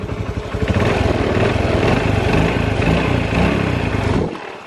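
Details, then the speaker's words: Honda Revo FI motorcycle lacking power: small single at idle with a faint, steady light knock riding on the beat that seems to fade when revved; mechanic suspects connecting rod wear, unconfirmed. "Wis ini ada sedikit suara ngetuk tapi enggak tahu"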